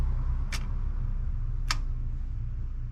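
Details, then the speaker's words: Chevy C20 6.2L diesel, engine off, DB2 injection pump with a newly replaced fuel cut-off solenoid under voltage: two crisp metallic clinks about a second apart over a low hum; the old one had sounded stuck, and the new solenoid moves freely. "so when I was getting voltage wasn't here in that metal clink so now it works"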